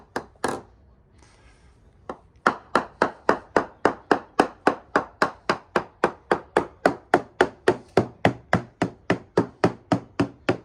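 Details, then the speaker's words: Freedom 35 yacht hull, hammer percussion test: taps about 3.5 per second turn dull, deep and thuddy, worst near the 5.5–6 m station, then brighten again; wet balsa core. "You can hear it's really quite dull, quite a deeper sound, much more of a thud, and as I go past that and work my way towards the other end it starts to pick up again."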